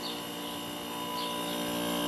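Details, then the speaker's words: Curbside vintage Kenmore dehumidifier with Bristol compressor: steady compressor hum with no fan whoosh or airflow, fan motor seized; refrigerant audible, though the unit was later found low on refrigerant. "compressor sounds [Music] good fan might be seized because I don't hear that [Applause] running"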